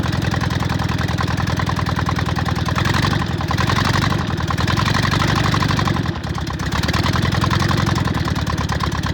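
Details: VW Bug air-cooled flat-four after new plug wires, ignition coil and distributor, fed fuel from a bottle: steady idle chuff, about 3.5 pulses a second with only slight dips; finally running properly, normal idle.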